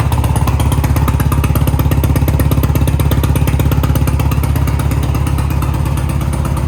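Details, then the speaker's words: 1987 BMW R100 Monza cafe racer twin, cold first start at about 30 degrees, heard near the exhaust tips: fast, even exhaust pulses with a deep steady beat, no knocks or misses; normal idle. "All right, guys, finally the moment we've all been waiting for. We're gonna fire her up and show you guys what idle sounds like."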